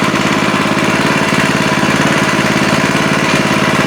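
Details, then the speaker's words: Older Kawasaki small engine after carburetor repair (butterfly fixed, adjustment improved): steady, loud putter with even firing pulses, no misses or surging; running cleanly and smoothly. "What the heck? I wasn't expecting that. You can still hear that engine running in the background."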